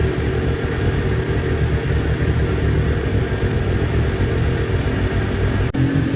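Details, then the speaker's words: Newly built Kawasaki Ninja twin that bogged and stalled when warm, after ignition coil pack replacement: steady, even idle with no stumbles, consistent past the usual warm-up problem temperature; both cylinders measured at about 258 °C. "Alright guys, if you have a look here, right guys, like you can see, the idle is consistent now. The temperature has gone way past its normal problem area."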